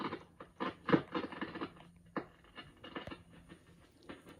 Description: This REM-69 receiver had a noise (crackling) problem only on Band 1. Signal tracing pointed to an arcing problem in one of the phenolic bandchange switch wafers rather than something like silver mica